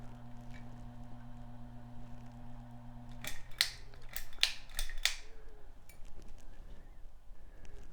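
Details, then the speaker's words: Hunter Echo Bluff 51089 ceiling fan, installed without fan controller and remote: steady low hum near 120 Hz with fainter overtone, loudest on high, slightly less on medium, still present on low, then handling clicks; motor hum. "yep there is some hum on high can you hear that it's a little bit less on medium there's still some noise on low"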